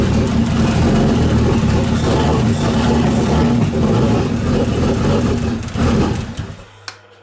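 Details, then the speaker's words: BMW E36 with M52B28 engine, first start after head gasket replacement: catches and runs unevenly with lumpy beat before shutting off; owner suspects cam timing slightly wrong. "it runs which is a good start um I have a feeling that I may have got the timing maybe slightly wrong in the cams is what it sounds like cuz it's not running perfectly smoothly"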